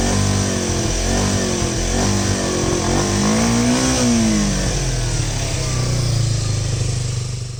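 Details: 1988 Kawasaki Ninja 250R 250cc carbureted inline twin, after carb cleaner through the carbs and intake valves and new tank washers: revs rise and fall smoothly with throttle, no stumbling or dying; healthy.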